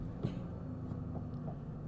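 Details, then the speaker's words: Ford Ranger with junkyard engine idling steadily around 1000 rpm after replacing a missing PCV valve (high-idle cause) and disconnecting the battery for a relearn; even idle with no hunting, no longer revving to 2000 in neutral. "we let her idle a little bit that's way better we let it run just a little bit then we'll try her out that sounds so much better already"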